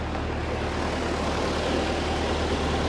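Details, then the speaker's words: Ford 8N tractor at a smooth, even low idle with a steady beat and no popping or stumbling after new fuel and all new spark plugs; the gray sediment has cleared and earlier cutting out and popping is gone. Normal idle. "We ran that new fuel through there and now she's cleared. Yeah. All new spark plugs. The thing's running like a champ."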